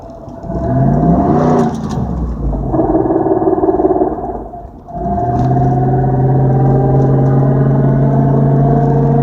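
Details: 2004 Dodge Durango 5.7 Hemi V8 blipped and held at higher revs: rough buffeting, rattly sound on touching the gas and on stomping and letting off; cause unknown.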